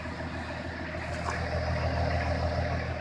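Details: 1984 Lincoln Continental turbo diesel, about 81,874 miles, running after parts fitted, fuel mix leaned slightly, heard from behind the car: low, soft, even diesel idle with steady pulses, quiet exhaust and no leak.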